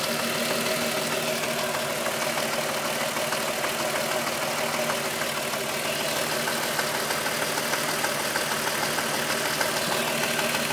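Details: 2.9 VR6 Golf engine with 103,000 km: fast, even, thin metallic rattle-rub about three per second at steady idle, like the timing chain rubbing; the noise grew louder after the upper hydraulic chain tensioner screw was replaced. Cause suspected, not confirmed.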